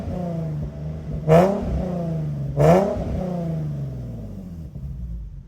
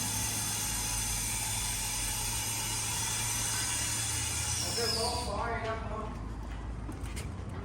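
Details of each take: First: Infiniti G37 with burble tune and high-flow cats: two quick revs over a loud raspy idle; exhaust leak at the manifold-to-cat gasket, before repair with custom flat gaskets. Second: Infiniti G37 with test pipes/high-flow cats, after replacing the manifold-to-cat gasket with a custom-made flat gasket: engine idles smoothly and evenly with no ticking or puffing from the joint; exhaust leak fixed, normal idle.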